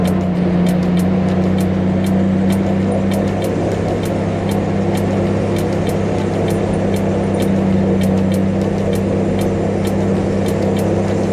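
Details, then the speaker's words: 1965 Mustang after restomod, stalling at idle, owner suspects carburetor, driven home: loud steady low drone at idle with irregular sharp ticks, airplane-like; misfire, spark plug cable to be checked first. "oh guys we made it home sounds like an airplane she's got a bad mess first thing i'm going to do is look at that spark plug cable"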